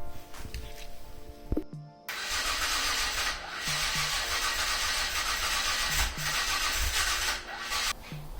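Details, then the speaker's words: Mazda MX-5 with Rocketeer Jaguar V6 swap, first start attempt on a not fully charged non-original battery: starter cranks at a steady rate with brief stumbles but never catches; cranks without starting. "Sounds like it's just about to go, but I don't know."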